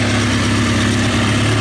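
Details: 2003 Kawasaki ZX6R inline-four at warm idle, fan on, after resetting the timing chain tensioner: smooth, even steady beat with no cam chain slap or rattle, no smoke; only a small coolant reservoir leak; sounds great.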